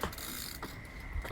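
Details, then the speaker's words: SE bike after the bottom bracket fix; it used to squeak under pedalling load. While pedalling, only a soft freewheel tick is heard, with no squeak or creak; the bottom bracket is quiet. "no sound I had a new bridge but literally listen nice and smooth and sailing"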